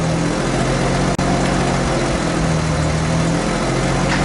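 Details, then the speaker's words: Nissan Skyline R32 GTST on E85, just after oil change, idling to push air out, oil pressure 60 psi: smooth, steady rumble, no knocks or misses; normal idle. "So let's go let that run for a couple of minutes, let push all the air out, let it rest for 5 minutes, let the oil drain, and then recheck the oil."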